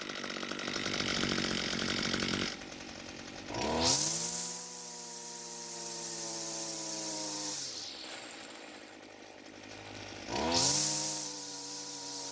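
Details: Echo SRM 230 two-stroke trimmer after repair (correct ignition coil and new carburetor fitted): snaps cleanly up to a high screaming rev and drops back to a steady idle twice; crisp throttle response, running properly.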